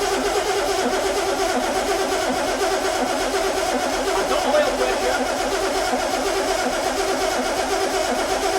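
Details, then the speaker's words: Crank, no start on a long-sitting project car: steady, uneven starter churning with no firing. The fuel pump diaphragm is suspected dry and not yet pumping fuel to the carb. Oil pressure reads 50 psi during cranking, and fuel pump issues are suspected. "that fuel diaphragm's going to be dry. It'll take a bit of encouraging back in before it pumps it to carb."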